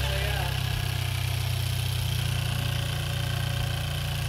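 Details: 2016/2017 Chevy Cruze direct-injection engine, first cold start after installing TurboBay big turbo upgrade: steady even idle with smooth low hum, no ticking, hissing or misses; sounds fine, leak-free, excess stuff burning off.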